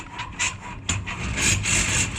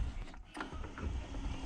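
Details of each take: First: Alutech sectional garage door with Nice operator, raising or lowering with two sections left at bottom: repeated scratchy squeaks over low motor hum from torsion springs rubbing on their shaft; fixed by fitting plastic water pipe, probably 32 mm, on shaft. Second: Alutech sectional garage door with Nice opener after fitting 32 mm plastic water pipe over both spring shafts; low even motor rumble, the earlier harsh squeak near two bottom sections open now gone.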